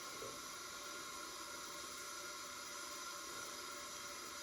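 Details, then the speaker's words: Front-engine dragster motor that sat about 30 years, leak-down test: faint steady hiss heard at the bottom end, air escaping into the crankcase; cylinder around 60% (briefly 20%), with possible cylinder wear, a bad ring or rust suspected. "need about I'm know 60% so you could have some wear in the cylinder there could have a bad ring could have some Rust not sure"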